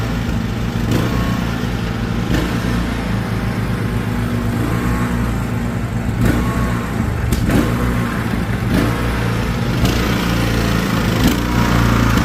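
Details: Craftsman T1600 riding mower after new carburetor replacing a corroded one, fresh fuel, mowing: engine runs steady under cutting load but hunts up and down every second or two; surging, cause unknown to the mechanic.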